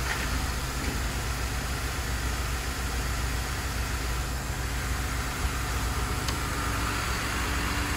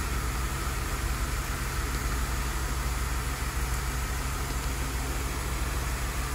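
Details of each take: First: Idling engine with an active fuel leak, gas smell, injector pulse checked good with stethoscope: uneven, skipping beat under a steady rumble; leak bleeds off fuel pressure, most likely causing the misfire. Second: Car skipping with a fuel leak, engine idling, stethoscope on one fuel injector: a steady, even pulse with no misses or irregular clicks, so the injector is pulsing normally; lost fuel pressure from the leak is the likely cause of skipping.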